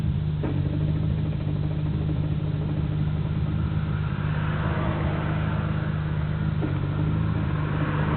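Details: Nissan Skyline GT-R BNR34 with stock Getrag manual gearbox and Nismo clutch: gravelly gearbox rattle over steady idle drone, now abnormally loud; takes time to stop when clutch pressed, 1st and 6th rattle while driving, shifting fine, unchanged after gearbox oil change, window open; owner considering overhaul.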